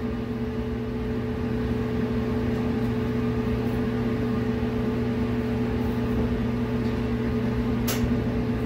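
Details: Clothes dryer test run after replacing the igniter and thermal fuse and then buying more parts on a second repair attempt: steady low hum with an even motor tone and a smooth-turning drum, no thumps or squeals; it runs normally.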